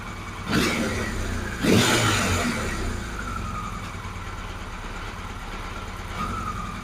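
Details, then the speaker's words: Motorcycle engine at idle after two throttle blips while carb mixture settings are adjusted; idle stumbles and loses its even beat, running rough. Owner suspects carbs out of balance or mixture off, and doubts the accuracy of the balance gauges, especially number four. "so i'm going to kill it well i don't know what you folks think of that i don't think it's running that good"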